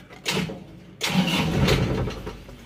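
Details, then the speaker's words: Isuzu Panther turbo pickup with an engine that often stalls: cranks and catches twice, the second only holding with throttle blips, rough and uneven; it won't start without throttle and rpm drops on inclines; hard starting from a faulty injection pump. "kita coba untuk hidupkan kalau dihidupkan harus harus digas ya Lur soalnya bospom"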